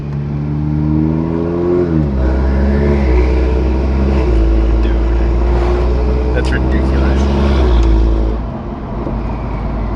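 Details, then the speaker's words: Toyota Supra with upgraded turbo, fuel system not yet done, driving at about 1500 rpm and no more than quarter throttle: low engine note climbing smoothly with a faint rising whistle; clean turbo spool, healthy. "And you just hear it just spooling. You just hear it. All my cars make crazy noises now."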